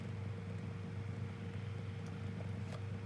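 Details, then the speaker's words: 2002 Lloytron F029 9-inch desk fan on low speed, tilted down: quiet steady hum and soft even whoosh with no rattle or scraping; tilting up can bring back an audible noise; runs as it should. "So yeah, even in this position on high speed, it can sometimes that able noise can come back, but it might not. That's how it's supposed to sound."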